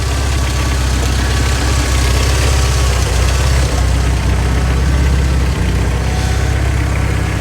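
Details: Golf GTI Mark 2 16-valve idling: rough idle with a dull, uneven low knock about four times a second under the exhaust drone; owner is adamant it's the bottom end, though something loose underneath is possible; unconfirmed.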